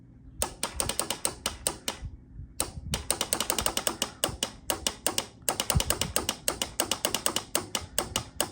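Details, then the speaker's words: 1993 Honda Helix CN250 scooter found in sand dune: rapid dry clicking about five a second in bursts, no cranking; starter relay chattering. "That's our starter relay. I don't know if this engine is free or not."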